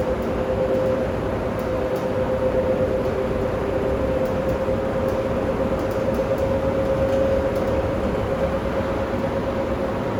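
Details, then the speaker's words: Industrial fan running: steady mid-pitched hum under a rough, gritty roar, no grinding yet; worn fan bearings, heading toward failure with some life left. "It is currently off, but I'm going to turn it on so I you guys can hear how rough this thing sounds when it runs."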